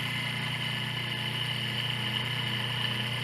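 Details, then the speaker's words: Washing machine motor noisy during spin, removed with belt off and run unloaded on the bench at high speed in spin direction: steady high-pitched whine with rough hum underneath; worn motor bearing, noise likely louder under load. "Veja que já podemos ouvir barulho de rolamento. Isso aqui está leve, está fora da parte mecânica. Provavelmente o barulho tem de ser mais alto."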